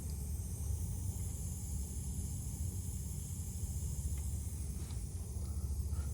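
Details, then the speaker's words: Refrigeration cooler, leak detector reading about 400,000 PPM nearby: a steady low rushing hiss with no rhythm under the cooler's running noise, from a big refrigerant leak somewhere nearby. "so I got a leak somewhere in here I got to dig through to see where it's at so it's going to kind of be tricky but I don't know if you can hear it"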